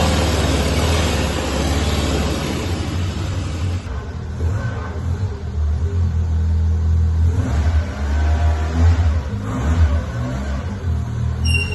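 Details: 1998 Citroën Saxo limited edition, revived after sitting and failing to start, running with no smoke: the small engine pulls and revs smoothly with an even note, no knocks or misses. It drives, the gearbox is good and the engine sounds sweet.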